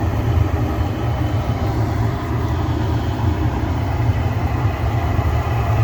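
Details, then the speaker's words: Gas furnace after cleaning a debris-clogged pressure switch port, burners firing: steady, even low roar with no pops, flutter or surging; burning smoothly, gas pressure 3.40 inches water column. "There we go. The burners are on right now. The gas pressure is good."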